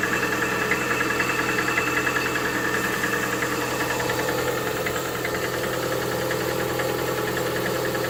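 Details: Lada Vesta 1.8 at cold idle: quick, even ticking knock at about three and a half beats a second, present when the engine is cold. Source not yet pinned down.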